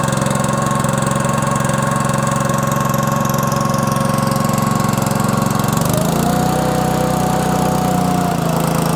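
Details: Honda GX200 small air-cooled engine test-started after an oil change to Amsoil 100% synthetic SAE 10W-30 small-engine oil, choke on, throttle about halfway: smooth steady running, settling to a slightly different speed midway, no misses; runs normally.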